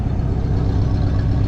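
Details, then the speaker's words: 1972 Pontiac LeMans V8, sat a few years, idling on a cold day: deep loud idle with a repeating uneven loping pulse; a plug-wire balance check found a rear cylinder not firing; engine misfire at idle. "now sitting here idling I can definitely hear it's not running all eight"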